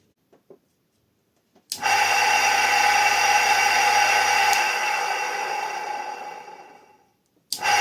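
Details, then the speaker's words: 380 V three-phase motor converted to run on 220–230 V single-phase via a non-polarized AC run capacitor: snaps on, settles to steady even hum with clean tone, winds down smoothly; starts very well on the capacitor. "khởi động rất tốt với tụ điện này, tụ điện này được gọi là tụ điện chạy."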